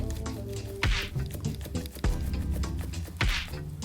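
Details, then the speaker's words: Slightly worn control arm ball joint from a VAG car (Audi 80 type), rocked by hand: three dull knocks over soft music; qualifies for replacement, compared with a totally worn joint. "i teraz ten sworzeń który jest lekko uszkodzony i który kwalifikuje się do wymiany przód"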